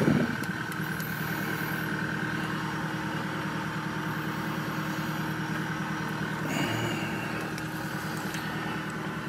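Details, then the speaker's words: Chevy Tahoe V8 at idle with the scan tool showing 14 misfires on cylinder 7 only: an uneven, stumbling beat with occasional dropped pulses; a single-cylinder misfire traced to a carbon- and oil-fouled spark plug. "see one through seven nothing until you get seven we got 14 misfires right there dropped two I've driven it and seven was going bananas"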